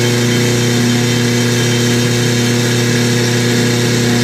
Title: KitchenAid making grinding noise losing and slowing down when higher speed